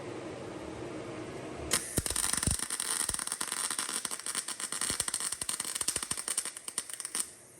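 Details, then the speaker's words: MIG welding a differential with mill scale left on the metal: uneven arc crackling and spitting irregularly, from too little power and wire speed; raising both should clean up the weld. "Right, so I've welded it, and you can hear it's crackling and it's spitting a little bit, but I can get this a little bit, we'll just have a little bit more pound, a little bit more wire speed."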